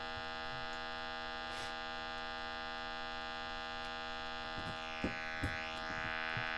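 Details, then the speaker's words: 1968 Selmer Vanguard tube amp run on 220 V through a 200 W current limiter; an 80 Hz test tone through its small speaker sounds thin and quiet over a faint mains hum, so it runs but lacks power and volume and needs capacitors and tube sockets. "so there we go it runs we know it runs it's lacking in power in volume"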